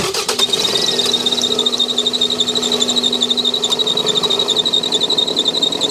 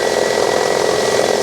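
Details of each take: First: 2001 Toyota Camry 2.2L idling: high, steady belt squeal pulsing about four times a second as the belt slips. Cause: failed, visibly wobbling harmonic balancer (crankshaft pulley), to be replaced. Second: 2001 Toyota Camry 2.2L idling after replacing the wobbly harmonic balancer (crankshaft pulley) that caused belt squeal: steady smooth whir, squeal gone.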